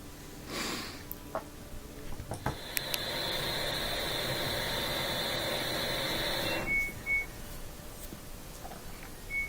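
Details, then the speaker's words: LG washing machine that won't drain: the drain pump hums with a thin whine for a few seconds and moves a little water, then the impeller breaks free from the motor shaft and no water gurgles. "here's the sound of a drain work again you get a little bit of water moving so sometimes it actually works for a second or two and then the impeller breaks free again from the motor shaft"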